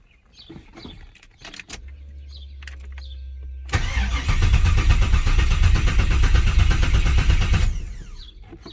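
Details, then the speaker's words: 6.0 LS swapped Firebird first start, fuel system empty and primed about three times: starter churns steadily about two seconds before the V8 catches and roars; long crank while fuel reaches the engine. "we got to prime it real quick we'll let the fuel pump kick on a few times because there wasn't no fuel in it yep i can hear it we'll do that about three times"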